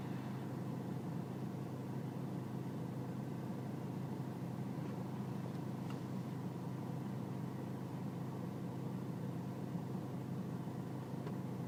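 Diesel ticking over with a dull steady clatter and slight unsteadiness in the beat, a rough idle of unknown cause.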